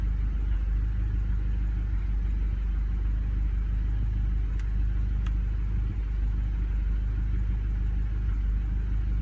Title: Misfires Golf R20